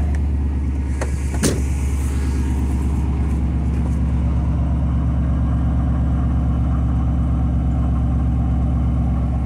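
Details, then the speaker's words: 2002 Chevrolet Silverado 2500HD 6.0L gasoline V8 with P0300 random misfire and P0332 codes, idling until misfire begins; uneven lumpy stumbling beat, bluish exhaust smoke, owner fears head gasket or cracked head, plugs and wires suspected. "so basically what i'm gonna do is start the truck now and uh wait for it to begin misfiring"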